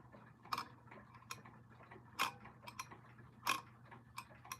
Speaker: You can still hear that uneven click as it switches between uh the dates.